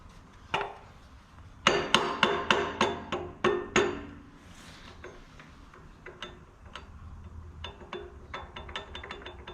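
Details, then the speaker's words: 6.7 Cummins with P-pump injection pump and adjustable timing gear installed, base timing set: sharp metallic clicks in quick bursts, about three a second, as the pump drive gear is rocked by hand, showing normal lash. "okay so we do have a little bit of you can hear the gear lash in there that's something that you want to check to make sure that you have gear lash"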